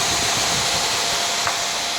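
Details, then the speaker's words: KTM dual sport motorcycle, newly installed 2-wire 120mm PC case fan on the radiator, switched on to test the wiring. An even, steady rush of air with a faint hum and no rattle or wobble: the fan runs normally. "So I want to make sure that when I press this switch, that fan starts blowing, and as you can hear it, it's pushing a lot of air through"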